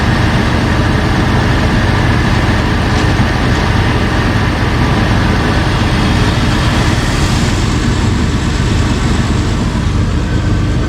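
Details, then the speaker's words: 2005 Jeep Wrangler Unlimited LJ rebuilt stroker, idling after replacing failed oil pump drive unit and fitting a high-volume oil pump: steady, even low rumble, no knocks, ticks or misses; good oil pressure, smooth healthy idle. "good oil pressure everything looks good everything sounds good started right up first try without any issues idling smooth"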